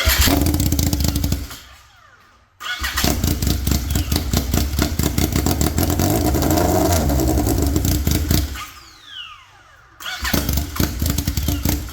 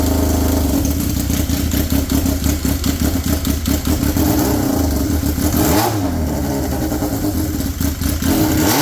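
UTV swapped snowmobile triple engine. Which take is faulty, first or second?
first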